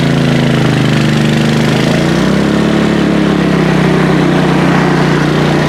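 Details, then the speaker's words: PowerSmart 4400-watt MB5040B generator carrying an inductive load before a 1000-watt heat gun is added: even, steady drone with constant low hum, no hunting or misfire; carries the load smoothly. "right we're running steady now I'm going to turn on the Wagner heat gun to full power which is 1,000 WTS"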